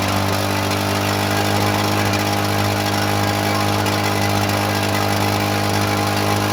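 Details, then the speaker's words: Vintage Lawn-Boy two-stroke mower first run, freshly fueled and primed, cold day: steady two-stroke drone with a constant hiss throughout; owner suspects water in the fuel. "it's hissing it's got some water in there"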